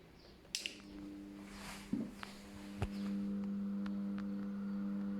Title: KDK ceiling fan humming sound at low voltage